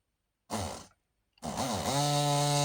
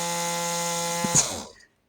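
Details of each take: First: Battery rotary tool that stopped working, motor wired directly to charged battery pack during repair: short blip, then steady high whir at a fixed tone for about three seconds before spinning down; runs but sounds weak, with a slight burning smell. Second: Rotary tool after repair with rewired negative connection: strong, steady high whine holds about a second then spins down; motor at full healthy speed, higher pitch than the weak, half-dead sound before.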